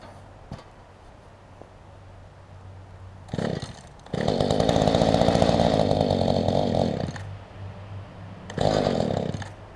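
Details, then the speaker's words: Mantis tiller small two-stroke with a loose engine mount: idles low and unsteadily between short buzzing throttle bursts. Owner suspects it needs idle adjustment and the engine secured; unconfirmed. "So it just needs idle adjusted, it sounds like, and needs the engine to where it's not loose."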